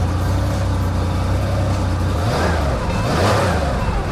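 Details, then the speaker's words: 1977 Porsche 911S Targa air-cooled flat-six, first start after about six years, after valve adjustment, new plugs, gaskets, seals and a clutch kit. Smooth, even idle and clean revs, little smoke, still burning off Marvel Mystery Oil. Sounds healthy. "Yeah, we still got some to burn, but it sounds good though. Ooh. I like air cooled Porsche."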